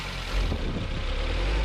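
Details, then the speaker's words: 2001 Nissan wagon, about 300,000 km, cable throttle, P0101 code, fuel trim 85% at idle, loss of power: engine stumbles and breaks up unevenly as throttle is snapped under the hood, pointing to a faulty mass air flow sensor. "let's snap the trottle and confirm the custom of symptoms right um it definitely sound like it's breaking up right"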